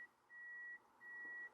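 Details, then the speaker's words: Car with reverse simulated by powering the blue-red wire with a test wire; backup parking sensor gives steady half-second high beeps with short gaps and nothing behind; owner says it goes off for no reason, a false alarm. "And you are so gimmicky. I need to disconnect you, because you just go off for no reason. Nobody's there."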